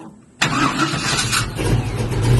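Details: Box Chevy with freshly built new engine: starter catches quickly, engine fires and settles into a strong, even run with no knocks or ticks; sounds healthy.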